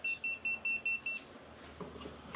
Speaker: I don't know if you hear the beeping but this will actually tell if the cable's got power on it